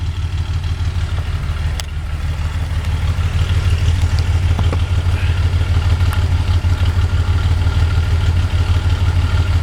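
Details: 1982 Datsun 280ZX, otherwise stock, with Motorsport Auto ceramic-coated header, 2.5in straight exhaust, K&N intake, rebuilt EFI, recorded partly in garage at about 37°F; deep even exhaust rumble rising slightly with light throttle, no knocks or rattles; normal open exhaust note.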